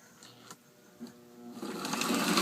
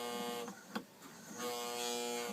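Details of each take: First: Old postwar Lionel 2037 locomotive after disassembly, gear cleaning and reassembly: small motor whirs up evenly with no catching; runs smooth where it previously jumped. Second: Old, beat-up Lionel 2037 post-war toy locomotive running on track before servicing: buzzy whining motor with a rough gritty edge and occasional clacks, loud grinding inside; gear grinding suspected, not confirmed.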